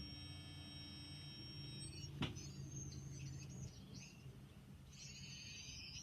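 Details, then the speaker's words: Unitron hearing aid with battery fitted, cupped or held to the ear: thin high whistles come and go as receiver sound under the dome reaches the microphones; normal feedback squeal, nothing wrong. "is normal if you're a little bit of a squeak gets the sound coming out from the receiver which is this end underneath the dome it's a speaker and it goes to the microphones which are in here and when the two interact it makes a whistle"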